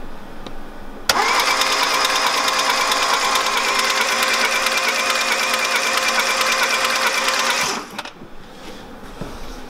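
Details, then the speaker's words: Polo 6N 1.0-litre engine cranking fast and evenly for about seven seconds with no compression or firing; burnt valves suspected, not confirmed; engine to be replaced. "hört borter keine kompression auf ich schätze war ventile vielleicht verbrannt ich weiß es nicht"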